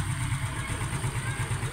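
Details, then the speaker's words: Suzuki Smash motorcycle, after cleaning, decarbonizing and new cylinder gaskets, piston cleaned, started on one push: low, steady single-cylinder thump, even beat, no stumbling; idle now stable, fixing prior stalling and poor idle. "niyaandar daun siya gwapo na stable na p kayo ang ihahang"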